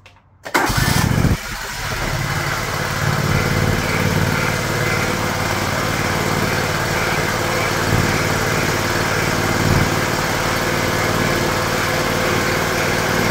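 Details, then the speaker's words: John Deere LX178 mower after carburetor replacement (previously very rich, leaking gas), throttle cable disconnected: cranks, catches within a second, settles into steady even idle with no misses or surging; runs impressively. "down wow that's an impressive engine"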